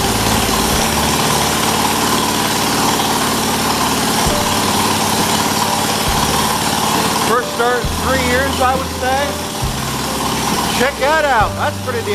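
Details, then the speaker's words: 1978 John Deere 208 lawn tractor, single-cylinder, first start after 3 years idle, old head gasket still fitted, no muffler, carburettor not cleaned: loud raw single thumping evenly at steady idle, no puffing or hissing; runs healthy. "as you guys saw i started it up must have had fuel on it it took right out it didn't take right off but i mean it it took off not long after didn't sound like the head gasket was blowing sounded really good"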